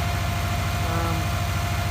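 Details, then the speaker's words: JDM 2003 Subaru Legacy BH5 wagon, 2.0 twin-turbo, five-speed manual, first start after about two years sitting: quiet steady idle with no bearing noises, a faint light chirp on top; the accessory belt sounds a bit noisy. "belt's a little bit noisy but by that he's a runner"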